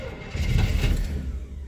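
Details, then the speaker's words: 1975 Chevrolet K20 V8 plow truck, unstarted since November, about 22°F after weeks below zero: short uneven rumble swelling as it catches; hard cold start because the cold drew fuel back to the tank, with no high idle set. "negative temperatures you know suck the fuel back to the tank she wants some more give her some more she's a trying got to get that gas up there"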